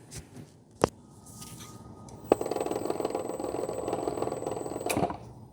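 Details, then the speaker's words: Crown PE 4500 pallet truck drive motor, brake removed, raised, very slow travel: rough buzzing whir under a thin high whine that doesn't build; suspected brake drum or low fluid/damaged gears. "That's not supposed to sound like that. So, one There's a couple things I think it could be right off the bat."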